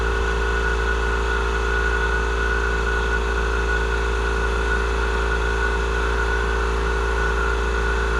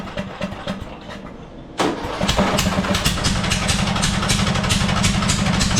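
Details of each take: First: Murray 42-inch riding mower, 18.5hp Briggs & Stratton PowerBuilt OHV, after cleaning a completely clogged carburettor fuel inlet: steady low hum with constant pitch, no surging or stumbling; engine runs evenly and healthy. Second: Murray 42-inch riding mower, 18.5hp Briggs & Stratton PowerBuilt OHV, new RC12YC plug fitted, started with choke: cranks then catches into an uneven stumbling idle with irregular chuffs about four a second; running rough, owner believes it's flooding.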